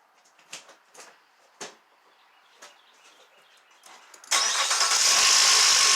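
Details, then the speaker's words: Nissan Altima with P0300 misfire, after new plugs and intake reassembly, at startup: quiet clicking then harsh metallic rattle staying loud; owner suspects timing chain needs replacing or lubricity issue, not the misfire cause. "So that was a rattle I was referring to, and I think that timing chain is definitely going to have to be replaced in the future."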